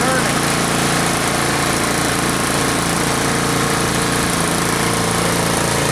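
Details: Troy-Bilt Storm 2840 snow blower single-cylinder engine, warmed up after a choked start, throttled down to idle: steady, even idle with a smooth putter and no misses or knocks; running normally.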